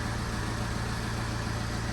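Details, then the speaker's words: 2008 Vauxhall/Opel Vectra 1.9 CDTi 150 hp Z19DTH diesel, idling after timing belt replacement: steady, even diesel idle with a smooth low drone and no knocks, ticks or misses; healthy. "we're ready to start the engine oh sorry oh it sounds good to me"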